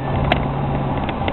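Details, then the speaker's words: 1972 Chevy Monte Carlo on a test drive before a planned fuel injection conversion, around 2,000 rpm: steady loud V8 drone with rough low hum and no obvious knock, motor screaming and not right; loud engine noise, cause not evident. "I don't know if you guys can hear the motor, but it's not right. The motor's doing a lot of screaming."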